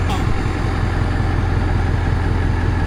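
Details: 1982 Marmon with CAT 3408 diesel, first start after an electrical smoke scare from batteries left connected: deep steady idle, no misses or knocks; only about 13 V charging, owner suspects very low batteries, weak alternator or connections.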